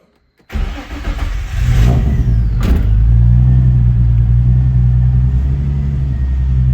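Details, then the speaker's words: Nissan 350Z first start after swapping in a JDM engine: starter whirr, engine fires, blips briefly and settles into a smooth, steady idle with a clean even beat; 80 psi oil pressure, normal running. "All right, we got oil pressure. Oh yeah. She's 80 psi. She's 80. So that's what we want."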